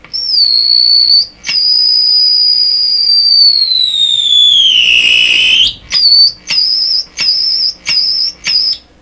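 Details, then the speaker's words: Deforest 10DA517 AM tube radio while tuning: a piercing high whistle sliding down in pitch as the dial turns, then chopping into short bursts; squeal/oscillation whose source is still being hunted. "Wow, that's ear piercing. So that's a little more information. Boy, it's spreading the problem wider through the radio."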